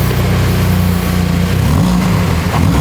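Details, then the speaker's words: Mini at first start after a new exhaust (no resonator, smaller back box) fitted before its MOT: deep, even idle burble and clean blips with no rattle or blowing. Healthy exhaust note. "That sounds amazing. What the hell? Oh my god, I love this car. Standard exhaust replacement, my ass."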